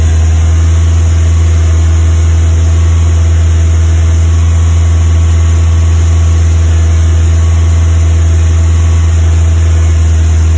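Steady low fast idle with an uneven, stumbling beat instead of a smooth run; the engine is misfiring at fast idle.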